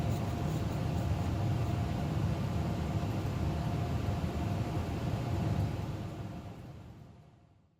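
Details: Old Carrier 58SSB natural-gas furnace inducer motor; steady low hum and airflow rush, smooth with no rattle or buzz, then winding down; motor and wheel fine, vibration traced to worn mounting grommets.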